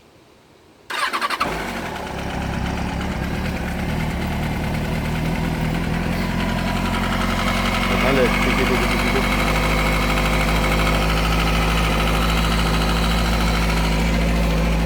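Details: 2005 Kawasaki ZX-6R, newly bought: starts and settles to idle with light steady ticking over exhaust note; previous owner claimed normal for Kawasaki. Engine ticking at idle, cause unconfirmed.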